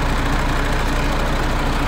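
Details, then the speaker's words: MAN TGX truck diesel at idle with light throttle after thawing the frozen filter: deep even rumble, no knocking; the earlier knock came from the air compressor, not injectors or engine, and the compressor now pumps air. "а ну газни немного о и ничего не стучит у нас оказывается и воздух закачал"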